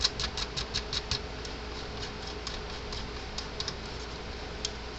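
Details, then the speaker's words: Repaired Gallagher M400 electric fence energizer: sharp ticks in an uneven train against a quiet background; firing output pulses normally. "got a gallagher fault finder with its ground probe attached to it we're getting 8.3 kv right where it's supposed to be"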